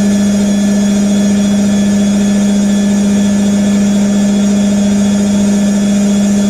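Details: New IKEA RENLIG IWM60 integrated washer on its first wash, Cottons 60°C with SuperQuick and a load of darks, spinning at up to 850 rpm: steady hum near 210 Hz with a coarse, gritty rumble underneath from rough motor bearings.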